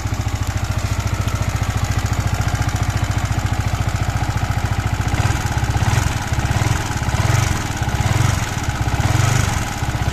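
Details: MT15 single-cylinder engine idling with a steady fast chuffing beat and an uneven clatter riding over it. Abnormal engine noise; later talk mentions engine oil, a genuine oil filter, clearance and a bearing, but the cause is unclear.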